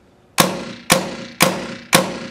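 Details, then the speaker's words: Tippmann A5 paintball marker after reassembly to fix a valve leak: four sharp, clean shots about half a second apart with no hiss between; leak fixed. "kind of listen for any other leaks. I don't hear any other leaks with this marker"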